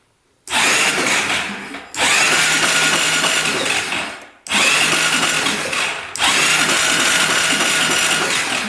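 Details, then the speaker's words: 2012 Honda Rancher 420 ATV after lubing the cylinder with Marvel Mystery Oil: repeated short bursts of sluggish whirring cranking, improving; starter suspected to have corrosion on its brushes; low oil in bottom end. "all right spins over a lot better let's just keep doing that for a little bit get that starter working better I'm guessing the starter is all"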